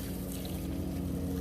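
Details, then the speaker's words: 1999 Winnebago Adventurer (Ford V10) motorhome being winterized with antifreeze: opening the outside shower, the water pump kicks on automatically with an even, low electric hum and steady buzzy tone, no knocks or surges, running normally. "Open the shower, water pump kicks on automatically."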